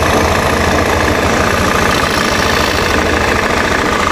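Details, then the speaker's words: Honda Beat fuel-injected scooter, just started cold, not warmed up: holds a fast, steady idle that never drops back down; idle speed stuck high, sensor fault suspected, not confirmed. "Coba kita dengerin ini kan rpm nya naik ya rpm nya tinggi kalau dia nggak turun-turun Berarti ada masalah di sensornya"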